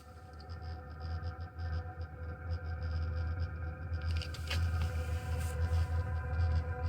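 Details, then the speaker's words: Lavaner Pro 2kW Alpine diesel heater installed under Sprinter van passenger seat, no muffler fitted yet, just after start: low steady roar with soft jet-like rush; burning evenly, running normally. "as noted in other videos it just sounds like a small jet engine down here this again with no Muffler"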